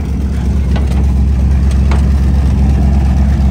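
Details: Centurion ARV tank winch engine, freshly started after battery swap and cleaning: steady low-pitched engine beat, even unhurried firing, no knocks or misses; small petrol engine running cleanly, normal running.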